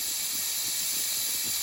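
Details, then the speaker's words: Nuwave 13-quart electric pressure canner after canning bacon ends, valve turned slowly to release steam: steady, even high hiss with no sputter or pulsing; normal steam release. "I'm going to turn it to release the steam. And yes, I should have not put it under the counter. I'm going slow. I don't want to go too fast."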